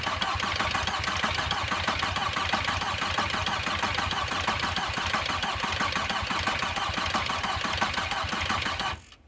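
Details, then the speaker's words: VW Passat B4 diesel after a full engine rebuild, battery a little weak: even starter chatter for about nine seconds, never catches; air in the injector lines being bled, fuel oozing from the injectors. "I need to bleed the fuel bleed the air out of this l contact fuel coming out starting to ooze out of the first one on the driver's side on the top battery's a little [Applause] weak"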